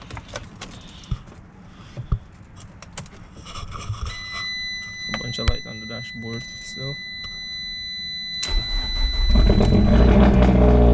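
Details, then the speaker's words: 2012 Fiat Abarth after fitting a cloned replacement ECU to fix a random misfire: engine cranks, catches quickly and idles evenly with no misfire and no check-engine light. "okay so we did make progress it's not no misfire anymore so that's good that's really good"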